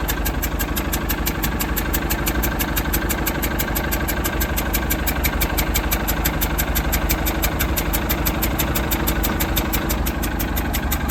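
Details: 2002 Mercruiser 3.0 Alpha One boat engine idling with a sharp, even clicking/ticking, about three a second, over the steady idle.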